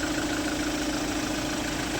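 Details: Kia Sorento D4CB diesel after replacing the number-four injector washer, the alternator pulley and four idler bearings (blow-by issue): smooth steady idle with an even hum and no ticking, knocking or squeal; engine running healthy.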